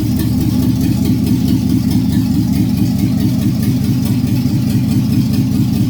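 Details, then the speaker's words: 5.3 LS V8 in a C-10 rat rod on its first run, open manifolds with no exhaust and no O2 sensors: a loud, even V8 idle with no ticks or misfires, then a clean shutdown. The truck hadn't run in about 20 years; healthy. "Not running for at least that I know of probably 20 years. Finally heard it run."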